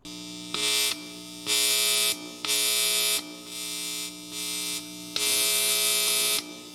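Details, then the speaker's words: Fender-style single-coil guitar pickup with its leads reversed: a steady mains hum, then loud harsh buzz bursts whenever fingers touch the pole pieces. This does not happen with the start lead grounded. The coil is shorted to the pole pieces. "but when the leads are reversed you get a loud buzz if you touch your fingers to the pole pieces"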